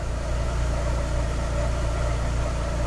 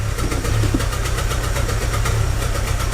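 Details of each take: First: 2006 Chevy Aveo after plugs, wires, coil replaced, EGR cleaned and IAC valve cleaned/replaced for rough idle and P0300: low, even idle, steady RPM, no misfire or stumble; idle fixed. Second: 2006 Chevy Aveo with P0300 random misfire code and check engine light: uneven lumpy idle with wavering note that surges and dips, worse in Drive at a stop; rough idle, plugs later found running lean.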